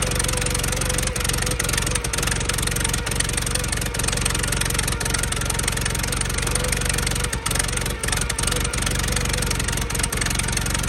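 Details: 1914 Buick, about 1,776 original miles, restarted on premium fuel after sitting roughly 85 years: steady slow chugging idle with some loose mechanical clatter, running evenly and well; coolant is being expelled and the cooling system still needs work.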